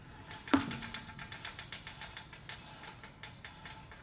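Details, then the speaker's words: 2005 Toyota Corolla S, about 167,000–176,000 miles: dry, regular clicking and light rattling, about three ticks a second, from a slowly turning rear wheel; suspected bad rear wheel bearing though no play found. "this one has roughly 167 000 and there is a rattling sound coming from the rear wheel let me show you what i'm talking about"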